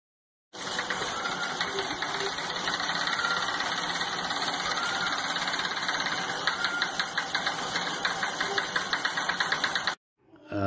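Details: Saris H3 bike trainer bought Dec 2019, knocking started after 800-900 miles: a steady whir with an uneven "woodpecker" knocking from a stretched drive belt; fixed with a new belt and belt conditioner.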